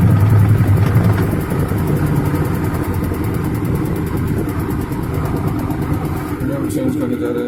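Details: LG WF-T7516HN 6.5 kg top-load washing machine: heavy low rumble with fast, uneven knocking through the cycle; gearbox noise problem, gearbox to be replaced.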